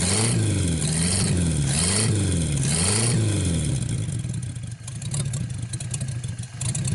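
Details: 1949 Buick straight-eight, first start in years, restarted after cooling down and refuelling: three clean throttle blips rise and fall smoothly, then settles to an even idle; runs really good.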